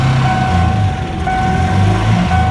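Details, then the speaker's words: 1994 Ford Ranger, long-sitting, first start; rough uneven idle with lumpy low beat and faint steady whine; not running on all cylinders; engine misfire. "Still ain't running on all cylinders. But it is running."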